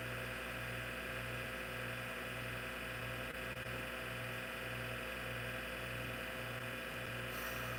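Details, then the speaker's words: Old IBM PC/AT hard drive, damaged in shipping, running: loud steady whir with low pulsing drone about twice a second under constant hum; motor and bearings so loud that head movements can't be heard, fault unconfirmed. "Can't hear the head movements because the platters are... Actually, not the platters, but the motor and the bearings sound so loud on this."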